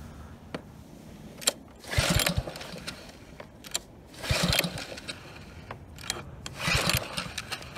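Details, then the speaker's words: Husky HU80709A power washer with Kohler Courage XT7 engine, blown pump removed, sold as good-running: three slow pull-start cranks, brief chuffing, no firing; cranks but won't start, owner suspects dirty carburetor (spark confirmed). "yeah not a working engine so guessing that carb is a mess"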